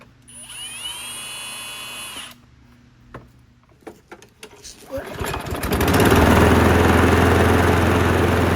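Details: Abused Craftsman lawn mower after its carburetor was cleaned: a few pulls and clatter, then the engine catches and holds a steady, even run with no stumbling.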